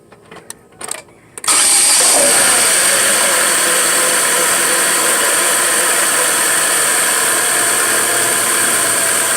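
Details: Chevy Aveo with a cracked intake manifold; engine catches and settles into a loud steady idle with a strong high hiss from the crack leaking vacuum, causing rough idle.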